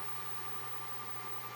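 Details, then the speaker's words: Must PW1800 inverter after repair of failed transistors, running from battery without 220 V mains: thin steady high-pitched whistle over faint fan hiss from inside the inverter; cause of the whine unknown, not confirmed. "свисти мене трохи турбують чому воно так свистить не знаю чи так має бути"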